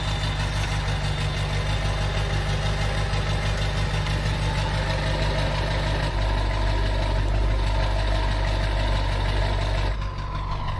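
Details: Ford F350 dually diesel just restarted after diagnosis (earlier cranked too fast, as if no compression); deep, steady idle with even beat, no knocks or misses, sounds really good, healthy running.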